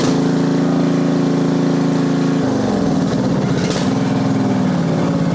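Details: Yard Machines (MTD) riding mower with 13.5 hp Briggs engine, 38-inch deck, after a valve adjustment and deck bearing refurb: steady single-cylinder thrum shifting speed partway through, firing evenly with no knocks or misses; running healthy.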